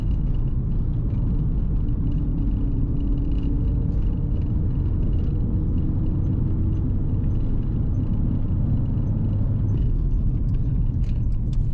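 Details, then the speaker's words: Holden VT nearing 300,000 km with 3.46 diff ratio, cruising at 80–100 km/h around 2,000–2,400 rpm: steady low hum under heavy road rumble from a worn, noisy rear differential, loudest near 80 km/h. "as you can hear that diff is quite noisy hopefully you can hear it anyway slow down to 80k and air i think is this noisiest sort of in this region so you can hear it sort of humming along"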